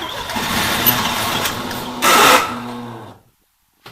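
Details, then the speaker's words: 1971 Triumph Stag Mk1 3.0 V8 manual, barn find sat 10–20 years, first start attempt with spark while cranking: catches briefly with uneven firing, then dies; owner plans fuel down carbs, suspects diaphragm issues. "Ooh, that started guys. Okay, so that fired."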